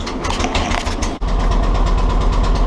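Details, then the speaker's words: Willys Jeep CJ2A L134 engine: starts right up, then after a clunk a quick steady tap about ten per second over idle with white smoke; internal knock, source unclear; oil squirted into cylinders earlier quieted tapping. "So it starts right up. But it just doesn't sound good."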